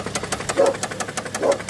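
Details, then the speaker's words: Subaru Tribeca stopped after driving, idling: a light, sharp knock about six times a second, heavy and persistent, louder with a little throttle, seeming to come from the right side near the battery; cause unknown. "Беда у меня случилась буквально ехал ехал остановился слышу клацает вот такой стук стучит прям прям обильно стучит"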